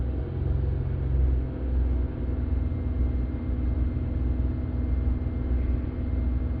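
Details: 2009 Buick Lacrosse at idle, watched on live data with an Xtool D8 scan tool: a steady, even low rumble with no knocks, stumbles or misses; the engine runs well and idles healthily.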